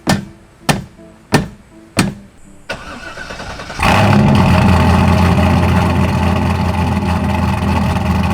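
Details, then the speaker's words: Corvette V8 start after new fabricated exhaust with Borla "neighbor hater" mufflers: four slow starter chugs, stumble, then deep steady loud rumble; healthy exhaust note. "This thing is going to sound so freaking good. The 9 plus hours of fabricating might actually be worth it."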